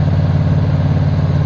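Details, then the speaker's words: Carbureted engine after a STP engine treatment, following revs to about 3,200 rpm to open the secondaries and burn off carbon: smooth, even high idle of about 1,800 rpm while the exhaust smoke clears. "so now it's just going to stay in uh in high idle like this until the exhaust clears"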